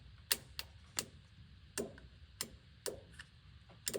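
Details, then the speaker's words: Amphibious boat car, once sunk in a lake and abandoned for years, fuel pump powered directly from a jump pack: faint irregular clicks about one or two a second, no steady pump whir; pump is bad and the fuel tank must be dropped. "Oh, yeah, it's bad. I can hear it kind of click click a little bit, but it's not running. That means the fuel pump is definitely bad, and we have to [clears throat] drop this fuel tank."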